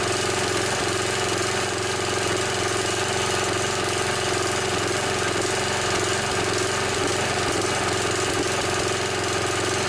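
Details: Snapper SR 1028 riding mower with a 10 hp flathead single-cylinder Briggs & Stratton running at steady speed with a faint uneven stumble; slight sputter, owner suspects it needs more carburetor work.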